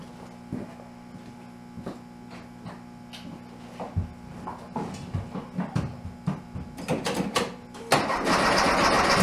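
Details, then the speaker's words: Big-bore 2387cc engine in a 1967 VW Bug in cold weather (about 15°F), weak spark: long cranking with scattered pops before it catches roughly. It is hard to start; needs tuning, and plugs and ignition will be checked. "Alright, so we got her to pop and run a little bit a couple of times. It's obviously going to take a little bit of fine tuning and a little bit of combination figuring out."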